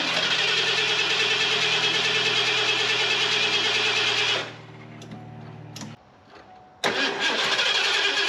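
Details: Fuel-injected Ford F250 that sat several years: even cranking about three beats a second for four seconds, a pause, more cranking, no catch. Spark is good but the injectors aren't firing, with both wires grounded out.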